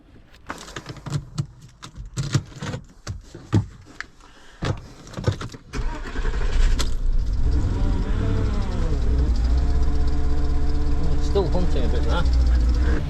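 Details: Porsche Cayenne V8 after repairs with intake air pipes not all refitted: cranking clunks, then idle rises and dips without settling due to unsealed intake air; ran better once pipes reconnected.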